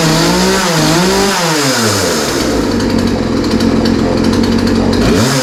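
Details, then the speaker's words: Poulan 3314 chainsaw with chain oiling working, started using the part-throttle choke setting and primer after carb cleaner; revs up and down cleanly, then holds a steady high buzz; running healthy, likely fixed. "that sounds pretty good going to set the throttle again yeah yeah yeah yeah so yeah that sounds pretty good I mean I didn't really expect any different after all it was running before we started working on it so it's not surprising that it sounds okay"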